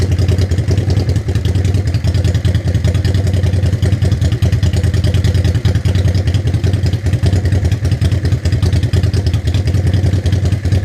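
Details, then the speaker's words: 1985 Honda Shadow V-twin after dual carburetor synchronization: deep, even thumping idle, steady without hunting, stumbling or misses; idling smoothly and healthy. "it's just idling in the same spot that's what we want"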